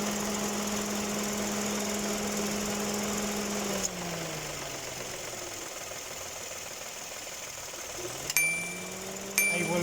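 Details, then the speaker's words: 2018 Dodge Attitude at idle: switching on the air conditioning, the AC compressor clutch snaps in with a sharp click and brief high squeal, twice in quick succession, sounding like a loose accessory belt but coming from the compressor clutch. "entrar y se escucha un chillido Entonces ese rechinido viene de esta parte cuando entra el el aire acondicionado"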